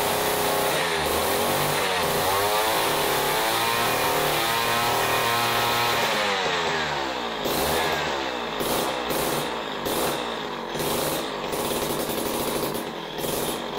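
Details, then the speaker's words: Jiffy Model 30 ice auger, unused for years, after the idle speed screw is turned in. Buzzy two-stroke wanders at first, then settles to a quicker, fairly even idle. It runs much better, but a carb kit is probably still needed. "well that certainly runs a lot better than it did but I'm not real happy with it"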